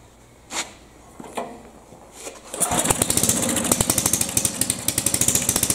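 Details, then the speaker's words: 1974 Sears rototiller engine with a new gas cap and choke set by cable; it catches after a few pulls with rough, uneven popping about 3.5 beats per second. Hard starting from a carburetor fault; carburetor to be removed next. "okay I know you was all thinking the same thing I hope he goes into the karma traitor we're gonna have to go under the car the traitor now"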